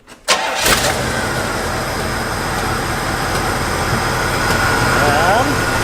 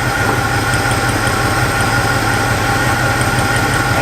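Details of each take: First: 1972 Pontiac Catalina four-door that sat for years. The engine cranks, catches and settles into a steady, even idle with no stumble or vibration. An exhaust leak remains, possibly from a crack rather than the manifolds. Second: Abandoned Pontiac Catalina V8 revived, cylinders checked one by one: lumpy, uneven idle with irregular stumble, one cylinder dead; misfire from a loose spark plug that was completely fouled/clogged.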